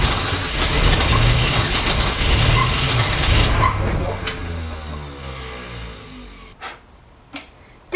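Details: Newly rebuilt '65 Ford Falcon engine, second start attempt after first rough run; catches, runs with a lumpy stumbling beat, then fades out; possibly flooded with fuel, so carburetor mixture turned down, unconfirmed.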